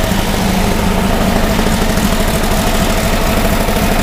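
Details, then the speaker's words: 1959 VW dune buggy, freshly rebuilt air-cooled flat-four with 38mm carb kit, about 30 minutes into its roughly hour-long break-in run, timing set: busy, fairly even idle with rattly air-cooled clatter, no misses or knocks; running smoother, healthy. "she's just hurrying along it's really got smoother and all the vowels and feeding properly"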